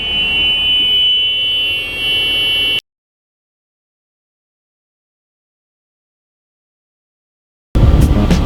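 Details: 40-foot Thomas-built pusher school bus, believed 5.9 Cummins, while driving: loud steady high-pitched buzz over engine drone, cutting off abruptly; the emergency window alarm is sounding, later fixed.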